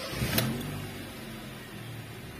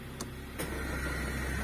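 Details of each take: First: 2005 Honda Jazz VTEC at idle with AC off: steady, even low hum with no knocking, rattling or squeal, normal; owner reports a noise only when the AC is on. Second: 2005 Honda Jazz VTEC idling: quiet with AC off, but a couple of sharp clicks as the air conditioning kicks in, then a steady low drone; unwanted, uncomfortable noise with AC on.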